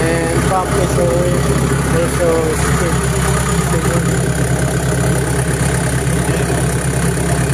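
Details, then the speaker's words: Diesel engine after stalling and blue/white exhaust smoke complaint and fuel pump check: steady, even idle with smooth low rumble, stable RPM, no hunting, misses or smoke; running normally. "so for the start so no blue smoke or rice smoke on the exhaust Spice and the engine is a RPM is stable"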